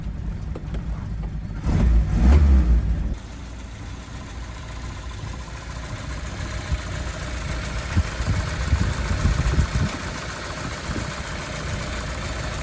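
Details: 1954 Ford Popular showing 58 miles, sat nearly 70 years, rebuilt carb, new leads, coil, 6-volt battery and electric fuel pump; one-second starter crank, then catches into a soft, even, low idle with no knocks; normal idle.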